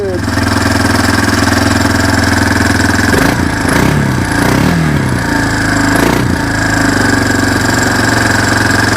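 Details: Four-wheeler with its original carburetor after carb work for backfiring and not idling, cold-natured engine started on choke: steady, even single-cylinder idle with a firm low thrum, no misses or knocks; normal idle.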